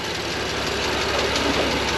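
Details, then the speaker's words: BMW M2 Competition first start with a dry engine: light, quick metallic ticking from the head at a steady rate over the idle, quieting as oil circulates and it warms; valve train tick, possibly cam journal or lifter, unconfirmed. "could be a cam journal could just be a lifter really hard to say"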